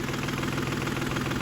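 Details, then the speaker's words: 2010 Volkswagen Touareg diesel, three injectors on one bank disconnected, only DPF codes stored: rough lumpy idle with uneven low thrum and knocky beat; those three cylinders contribute nothing, cause unknown. "what we have and we know and we're aware of is that these three cylinders are not contribut at all"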